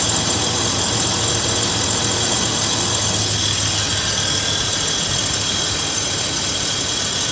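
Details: 2000 Toyota 4Runner at idle: a constant harsh, gritty grinding rasp high above the low engine hum.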